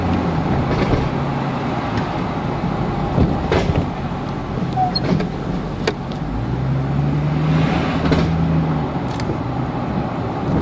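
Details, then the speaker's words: 2002 GMC Envoy SUV driving on the road, with a complaint of clunking from the rear. Dull, irregular clunks knock through steady road rumble; the clunk is confirmed but front or rear is uncertain. "so yeah so it's confirmed there is a clunking sound i'm not really sure if it's on the front or on the rear but anyway we just confirm it there is a clunking sound"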